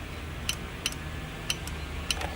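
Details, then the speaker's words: Relay K1 on a DIY Headfirst Cali/Jose Marshall-style amp PCB, fed 12 V in standby and grounded to energize the coil; four crisp clicks about half a second apart over a quiet hum, relay switching normally. "you hear that relay is definitely clicking all right so that's good"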